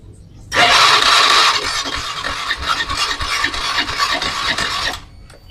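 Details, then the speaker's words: Honda Beat FI scooter, hard-starting complaint: starter whirs about four seconds with faint, weak compression pulses and never catches; spark plug tip black. "Nah ya seperti ini kadang-kadang bisa hidup kemudian mati lagi seperti tidak kuat ya teman-teman"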